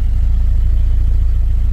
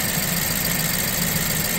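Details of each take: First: BMW E87 120i bought with engine issues, idling after being left misfiring for a while: deep, even exhaust pulses with no skips; no longer misfiring. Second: BMW E87 120i petrol engine with serious engine issues idles unevenly, its low throb stumbling irregularly, as from a misfire.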